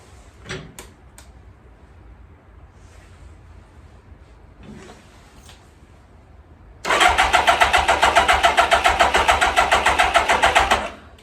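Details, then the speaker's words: 1999 Kawasaki 600 with loss of power and bogging on acceleration: a few clicks, then it catches at about seven seconds with a rough, pulsing idle on choke. It starts lean and needs the idle turned up; idle circuit jets are suspected. "the only thing is it's it's it's lean starting up got to have the choke on for a while you it's got to you got to turn the idle up and then as it warms up you can turn the idle down a little bit"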